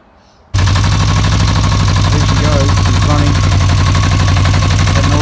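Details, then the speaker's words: Barn-find Yamaha XJ600 being revived, idling after a new clutch lever fitted: loud, busy clatter of rapid uneven knocks from the clutch, mostly stopping when the lever is pulled; owner suspects a clutch problem. "noise you can hear, that clattering, that's the clutch. Put a clutch lever in, most of it stops."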